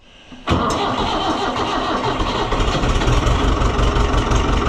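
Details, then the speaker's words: Oliver 1365 (Fiat 640) diesel tractor after fuel filter and leak repair, with air in the fuel: it catches after cranking and runs unevenly, and the owner expects a lot of cranking to keep it going. Hard starting, air in the fuel system. "See if it keeps running. It's got air in it, so it'll probably Yep, that's what I figured. Okay. Well, the good news there is we heard it run again. The bad news there is that it's going to take a ton of cranking to make this go."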